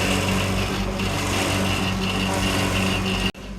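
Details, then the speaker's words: Commercial walk-in refrigeration evaporator fan, complaint of fans tripping breakers, breaker taped on, evaporators falling apart: steady hum with thin whistle fluttering about four times a second, then cutting out; worn, noisy evaporator fan. "The complaint here was that the evaporator fans were tripping the breakers, so they taped the breaker on. No. But honestly, these evaporators are falling apart."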